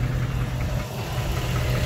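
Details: 2005 Dodge Ram 1500, 5.7 Hemi V8 at idle: rough idle with a low, steady knocking under the engine drone. Owner suspects a bad bottom-end bearing; others suggested the flexplate. Unconfirmed.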